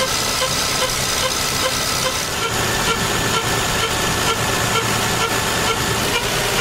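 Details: Lexus engine running steadily with a faint, irregular ticking around two a second over the hum; strange noise, cause unknown.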